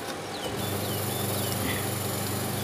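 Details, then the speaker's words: Sharp twin-tub washing machine with weak wash and spin, after fitting gearbox, brake cable and new capacitor: wash motor turns left with a steady, even hum, no scraping or knocking; now running correctly. "Nah itu sobat ia muternya ke kiri Ini yang betul sobat ya"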